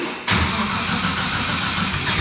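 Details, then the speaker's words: RB26-swapped Mustang at first start-up: steady, fast starter churn that never catches, with fuel pressure only 1 PSI during cranking; crew suspects the ignition is not switched on. Cranks, no start, cause unconfirmed. "crank it more one one PSI continuous um it sounds like the ignition the ignition is not on okay yeah"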